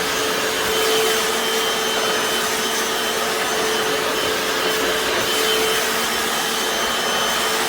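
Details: Hoover FloorMate Deluxe hard floor scrubber in wash mode being pushed over tile, vinegar-water solution: steady vacuum-like whir with an even motor tone and soft brush scrubbing; runs smoothly and normally.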